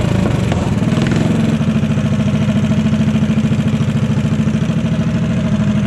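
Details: Modified Honda GX160 go-kart engine, first run after rebuild: steady even single-cylinder thumping with quick regular pulses and clean exhaust note at high revs, above stock ~3500 rpm; healthy.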